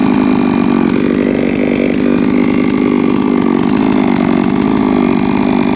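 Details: Three-year-old Huztl-based MS660/066 mill chainsaw, ported 56mm cylinder, after in-field clutch replacement: steady even high-rev buzz held under load without stumbling or hunting; pulls smoothly and sounds healthy.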